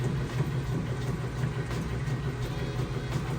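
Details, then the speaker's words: Whirlpool top-load washer on a normal heavy cycle, cool water, large load setting, tub full: a low, steady motor hum with soft rhythmic thumps as the agitator kicks back. It is agitating normally. "that's how you know this agitator is working correctly. It kicks back, and that's how it's supposed to work."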